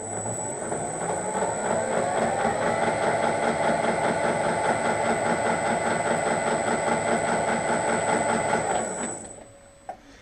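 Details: Harrison M300 lathe, gearbox reassembled with oil, still noisy in gear and neutral; steady whirring with fast regular chatter about two to three beats a second, then spins down; gearbox noise, cause unknown.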